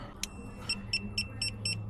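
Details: DAF XF Euro 6 truck with alternator, brake, retarder, AdBlue and exhaust malfunction warnings and power reduced: repeated short high beeps about four per second over a low hum; dash warning from an incompatible replacement EAS3 aftertreatment ECU.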